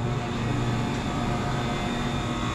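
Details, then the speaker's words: Water-cooled walk-in refrigerator after refrigerant leak repair: a steady, even motor and fan hum with no knocks or rattles; the box is at about 35 degrees with a target of 35–40, running normally. "oh wow we are just at about 35 degrees in here so you want this to cycle between 35 and 40 degrees and this is looking great"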